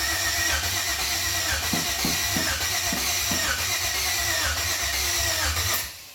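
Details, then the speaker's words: 1992 Chevrolet K1500 with 4.8 LS swap, first test fire: steady starter churn about six seconds, no firing; fuel pump not heard, PCM suspected, later found harness unplugged; cranks but no start. "It ain't hitting, Terry. Maybe PCM still, I don't know."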